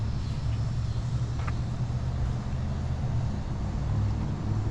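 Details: 2008 Jeep Patriot, 191K miles, on a road test drive at about 60 mph after replacing a failing coil pack and clearing the cylinder 4 misfire and intake runner control valve codes: low, even engine drone under road noise, no stumble or misfire; running smoothly.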